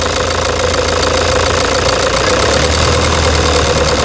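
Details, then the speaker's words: 2009 Toyota Hilux diesel idling with a loud hard knock about three times a second and rough shaking vibration, engine misfire from a stuck, defective injector unit. "essa Hilux cinza aquele que está no box ela tá com grão-de-bico e o bico está travado certo e para você ter uma ideia ela está castanhando alto tá tá mas muito alto"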